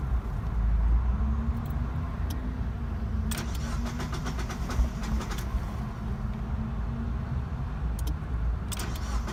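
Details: 1999 Mazda MX-5 Miata, hot car on a 95-degree day with new battery: engine cranks long without catching cleanly, steady low drone; hard start persisted after coil pack replacement, cured by replacing fuel pump and filter.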